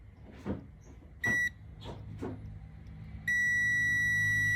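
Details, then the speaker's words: Tractor oil pressure switch tested with a multimeter, engine not started: a short beep, then a steady continuity tone. This is correct; once the engine runs the switch should open and stop beeping. Oil pressure switch closed, engine off (normal). "อันนี้คือปกตินะครับที่เรายังไม่สตาร์ทแต่พอเราสตาร์ทนะครับเราวัดมันจะไม่ดังนะครับ"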